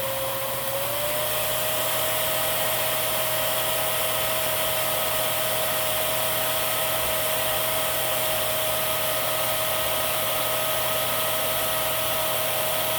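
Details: Miele Swing H1 (Quick Step) upright/stick vacuum, airflow test through a 35-to-32 reducer, switched from low to high: a steady high whine steps up in pitch, then holds even; airflow lower than the tester expected. Normal high-speed running.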